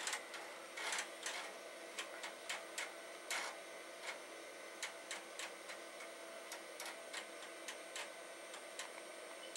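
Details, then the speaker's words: Commodore Amiga 2000HD (accelerated) floppy drives trying to read: irregular bursts of rough buzzing chatter between sharp head clicks, a grinding seek instead of clean stepping; drive zero did not come up. "well they are grinding and one of them has come up just drive zero did not seem to come up"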